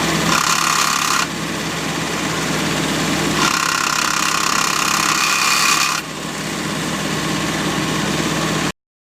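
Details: Jeep Ford GPW after engine rebuild, idling: raspy, high-pitched hiss in two bursts when the clutch pedal is depressed. Clutch works OK. New disc and throwout bearing, same pressure plate, bearing carrier packed with grease.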